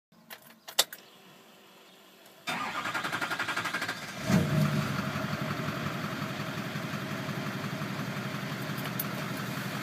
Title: Duramax hard start